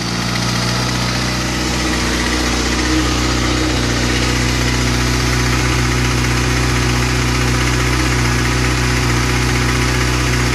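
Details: New 2013 Kawasaki ZX-6R inline-four: steady rapid loud light ticking at idle, persisting through brief revs; owner concerned, cause unclear.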